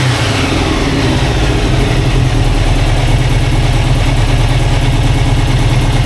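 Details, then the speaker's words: Turbo VW Beetle engine after reinstall, timing adjusted, oil leaking from oil pump fitting: deep, loud, steady chuffing idle with even beat, no knocks or misses. Normal idle. "Anyway, I've got oil on my foot, but it's running and it sounds good."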